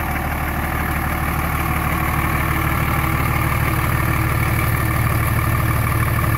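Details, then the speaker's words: 24v Cummins diesel, about 330,000 km, warm idle at 89 °C after valve lash adjustment to cure a tick, heard outside the truck: even, steady clatter with smooth rhythm and no valve tick; sounds considerably better, healthy. "probably really hard as hell if you don't listen to the truck all day every day but I can definitely tell sounds way better considerably better there awesome"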